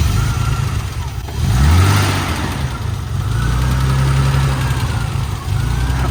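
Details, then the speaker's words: Cold start of a sun-parked BMW E30 after fitting a new battery (old one was dead); a broken part on the car is temporarily taped, pending replacement. A short crank catches almost at once and settles into a steady, even idle with no misses or knocks: a normal cold start. "But other than that, the car starts right up. That's crazy."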